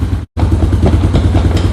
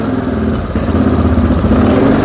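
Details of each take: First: Moto 4 ATV under restoration, cold start without choke: steady, even low single-cylinder thump at idle after a brief dropout, no misses or knocks; runs smooth and healthy. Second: Moto 4 engine during restoration, with the idle mixture screw turned out in half turns: an uneven, stumbling idle with dropped pulses. This misfire comes from the mixture being too rich.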